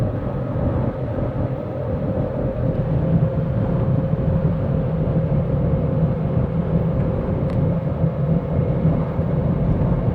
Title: 🔴2007 Saturn Vue, Odd howling/whirring sound from rear differential